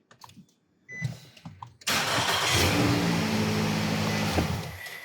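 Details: 2009 Nissan Altima no-start from steering wheel lock assembly fault (code B2607, lock not detected down), after pressing lock in: a few quiet clicks, engine catches at once and idles steadily, no misfire.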